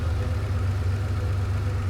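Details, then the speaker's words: Ferrari 512 BBi engine idling after carburettor mixture adjustment; it was hunting and rough before, now a deep, even idle with a steady low beat, revs up 25–30 rpm, smoothing when the adjustment hole is covered: normal idle. "All I've done is turn the mixture, but I know that that is now right. The engine smooths out as soon as I cover the uh the adjustment hole"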